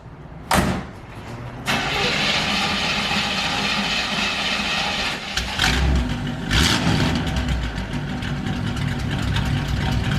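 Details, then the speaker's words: Engine started as a reference for how a healthy motor should sound: the starter catches quickly, the engine fires, settles to a steady idle, then revs cleanly without knocks or misses. It sounds healthy. "So we wanted some motivation from pulling the motor out, so we wanted to hear what an actual motor should sound like."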